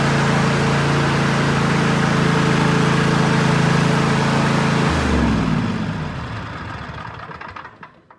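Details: Cub Cadet LT46 XT1 Enduro Series lawn tractor, 23.1 hours, after tune-up with new air, fuel and oil filters, oil and two spark plugs: steady even low twin-cylinder drone about 3.5 beats a second, smooth rundown at shutoff; normal running.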